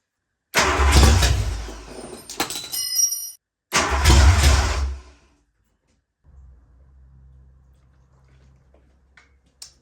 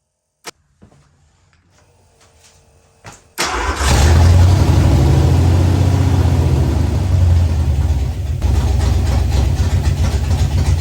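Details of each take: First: Ford Fox-body Mustang, freshly rebuilt 302 V8 with new cam and MSD ignition, first start with just a little gas poured in, no fuel pump. Two short bursts of firing catch then die within seconds: fuel-starved start and stall. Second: Ford Fox-body Mustang, rebuilt 302 V8 with new cam, after adjusting ignition timing. Cranks briefly, catches, settles into a steady deep burble with no knocks or misses: normal idle.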